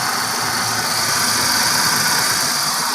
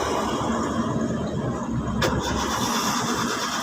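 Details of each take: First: Hyundai 3-cylinder car that kept stalling, running after fuel pump trouble: steady, even idle with a smooth hiss on top and no misses or stumbles; engine running normally, though the fuel pump is suspected faulty. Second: Hyundai 3-cylinder car, long-standing no-start, third attempt after key-on fuel pump priming: starter cranks steadily five seconds, never catches or fires; no fuel due to failed fuel pump assembly.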